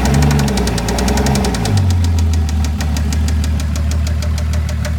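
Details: Toyota 7M-GTE six-cylinder petrol engine running with a sharp light tick about six times a second; absent at first start, comes and goes randomly; owner doesn't believe it's rod knock.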